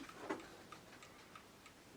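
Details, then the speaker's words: Old clock with a bent centre, still running: crisp, even ticks about three per second with a steady beat and no stumbles, normal ticking. "it doesn't stop the clock it the clock still runs see that's still ticking away now"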